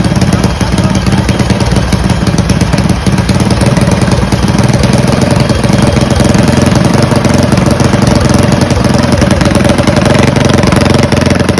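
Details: Mega Moto 212 mini bike, modified Predator Hemi single-cylinder, after Mikuni carburetor tuning: loud steady rapid putter holding an even idle without stumbling; normal idle.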